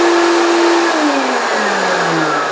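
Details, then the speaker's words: 1970s Hoover S3001 Celebrity Custom vacuum cleaner: loud motor whine falling in pitch as it runs down, with a rough rushing edge; owner suspects motor bearings need grease, not confirmed. "probably the motor bearings probably need a bit of Grease or something"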